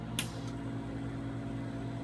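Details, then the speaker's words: Five-in-one cavitation radio-frequency salon machine, vacuum handpiece running with suction cycling about every 4 seconds: steady low electrical buzz with a faint hum and one brief click; normal operation. "you push work you will hear a buzzing noise the machine that indicates it's working"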